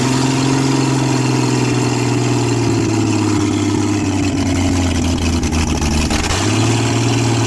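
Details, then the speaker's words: 1966 Ford Mustang V8, reassembled, jump-started, open exhaust manifold: loud, blatting, uneven idle sagging low near the end; not returning fully to idle and dying; oil pressure good; owner suspects carburetor needs rebuild or vacuum leaks; rough idle. "The uh uh carburetor probably needs to be rebuilt. It's not returning all the way to idle and then when it does it's dying. So I'll have to look for vacuum leaks."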